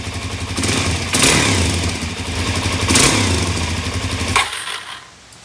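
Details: 2017 Suzuki DR-Z400S stored with fuel left in the carb, carb primed after work: fires on a cold start, runs ragged with uneven revs, cuts out after a few seconds; lean stumble, carburetion suspected, not confirmed, fuel screw to go three turns.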